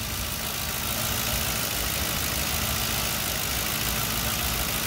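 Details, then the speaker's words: 2010 Ford Crown Victoria Police Interceptor P71 V8, jump-started after weak battery, idling about 40 minutes, alternator charging 14+ V: even, steady, smooth low rumble with no knocks or misses; normal idle. "this vehicle has been running for like 40 minutes at idle running nice and smooth I'm going to show you what I see up close the motor sounds good listen"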